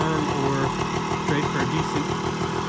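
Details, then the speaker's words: Restored 1978 Kawasaki KE100 two-stroke single, pretty low mileage. Crisp buzzy ring-ding holds a steady idle with no stumbles or misfires; runs pretty good. "so it runs pretty good"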